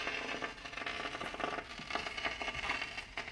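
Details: Kenwood GE-52B graphic equalizer: quiet, irregular crackle and fizzing pops fade in and out by themselves; RCA cables are good and wiggling connections has no effect; intermittent static, cause not yet found.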